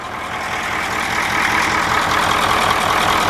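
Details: 9-liter diesel bus engine after valve adjustment: even, steady idle clatter with no thump or skipped beat; running smoothly, normal idle.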